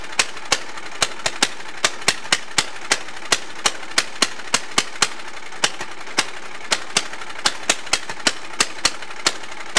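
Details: Allis-Chalmers racing tractor with swapped engine, unmuffled: sharp loud exhaust cracks firing unevenly at racing pace; kill wire had unplugged so switch failed, engine overspeeding toward runaway.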